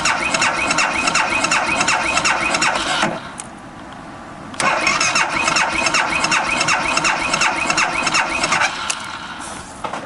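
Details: 2012 BMW Sertao G 650 GS single, about 3,150 miles, cold at 40.9°F, recurring starting issue (6th time): starter churns near three beats a second, stops, cranks again, never fires; cranking no-start, cause unconfirmed (decompressor lever suggested).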